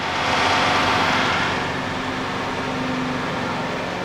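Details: Hammond 1000-VW 10-inch wet/dry platen belt grinder (1980, 7.5 HP motor, 440 V, 3,400 SFPM belt): steady, even whir of belt and motor with faint constant hum, no knocks or scraping; runs smoothly.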